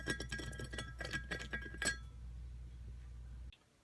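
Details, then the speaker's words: Rear wheel of a Yamaha XTZ 750 off-road bike, bearings removed and spun by hand: rough metallic ticking about five times a second, then quiet; the rightmost bearing is dead, while the two by the sprocket carrier sound good. "aussi on entend on entend nettement le bruit donc ça c'est roulement le plus à droite et les roulements de l'autre côté ceux-là sont bons"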